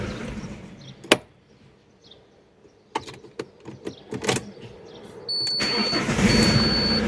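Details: Alfa Romeo 147 1.9 JTD 8V diesel with a crank-no-start-when-hot fault (P1320 synchronization code), hot restart with a slightly weak battery: a few clicks and a short crank, then it catches at once and settles into a steady, even idle.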